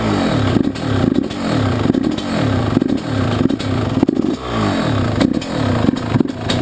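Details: YZ125 two-stroke, either the 2001 at its first start after a rebuild with a new Wiseco piston or the freshly rebuilt 1999: crisp, clean blips rising and falling about once a second, revving freely, no rattle; healthy.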